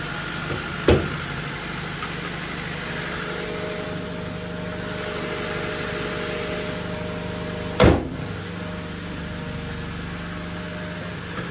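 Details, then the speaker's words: 1999 Honda Civic manual on start after a thrown main bearing was repaired and the fuel filter replaced, with a loud exhaust: a steady, even idle hum with a faint constant tone and no misses or knocks, plus a couple of handling clunks. Normal idle. "oh we're good sounds good Yep looks like we're good let's take it around the block"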